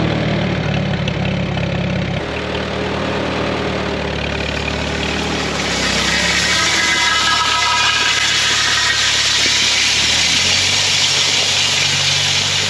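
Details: Tuned-up 1939 Farmall H that had been missing and running poorly, now after the fix: even idle, then smooth pickup on throttle and a clean, steady run with no misses.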